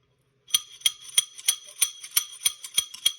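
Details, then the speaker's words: Razor MX650/MX500/SX500 dirt bike fork, stripped and worked by hand: sharp metallic clacks about three a second as the post tops out against the bolt head, inherent to the design; fork topping-out clunk. "so you can see with the bolt head that little head is the only thing keeping this post inside the fork okay so the clunk view here is this clunk right here"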